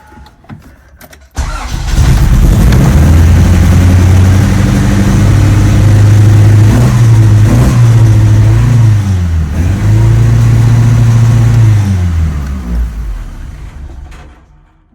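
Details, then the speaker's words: Acura Integra that started idling very high after a highway incident, started on a borrowed battery: fires at once and settles into a fast, hunting raised idle instead of a low idle; cause unknown. "okay she starts a lot of problems we might have to figure out why it's revving but at least I know it turns out"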